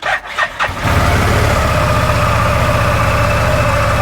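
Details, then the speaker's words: 2018 Odes Dominator 1000 X4 LT after a repair and codes cleared, which had run on one cylinder; quick crank, catches, settles into an even twin-cylinder idle, a lot smoother; normal idle. "yeah it's a lot lot smoother"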